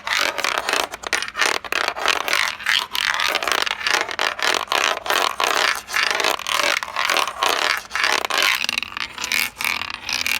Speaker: essa área que você viu com esse som, que você ouviu com esse som oco, basicamente ali nós temos uma cerâmica que está descolada, ou seja, ela não está com a aderência boa